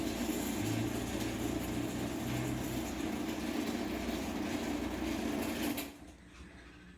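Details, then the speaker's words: LiftMaster 8587W garage door opener (March 2016) on the rail, closing: steady motor drone with faint buzzing rattle, then stops; owner thinks an end panel vibrates on down travel, unconfirmed. "it's a little louder on the way down because one of these end panels vibrates I think it's the one on this side but I don't know"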